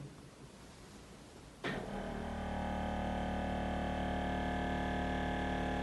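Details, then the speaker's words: BMW E53 X5 4.8is, four-wheel air suspension, raising the rear axle in increments: quiet, then a steady, even electric hum of the pump; normal compressor running. "can hear the pump going don't know how much you saw that but that's going up right so it does it in increments"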